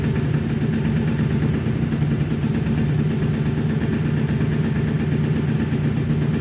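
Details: Scooter with MVT Millennium ignition, after a stutter-and-no-start fault blamed on a tired stator, reassembled and restarted: steady buzzy two-stroke idle, no cutting out or stuttering; runs normally, problem appears fixed.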